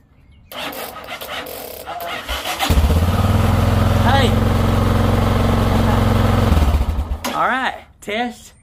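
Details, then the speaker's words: 1990 Yamaha XT600 cranked by a 20 V DeWalt tool battery replacing the motorcycle battery: starter churns briefly, then the single catches and settles into a steady even thump; starts and runs fine. "yes a DeWalt battery 20 volt will crank a 1990 XT Yamaha you just saw it firsthand"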